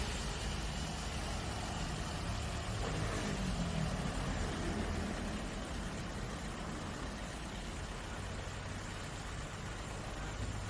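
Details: Toyota Vios that overheated when driven, after fitting a thicker 22 mm radiator and bleeding the coolant: smooth, even idle with a steady low drone and no knocks or surging; normal idle.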